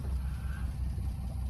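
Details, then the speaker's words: 1993 Honda Acty Street Limited 4WD kei van, warm, back in neutral after a test drive: smooth, low, even idle putter with no misses or knocks; idling perfectly. "back to idling perfectly no problems there at all"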